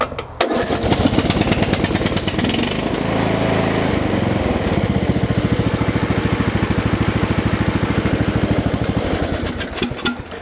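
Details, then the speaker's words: Lawn tractor with a single-cylinder Briggs & Stratton engine, after repairing the choke linkage tab that kept it running on choke (too rich): engine catches quickly and settles into an even putter with no stumbling or hunting, no longer on choke; normal running. "So what I'll do here is start up the machine, and we'll see that it does not run on the choke."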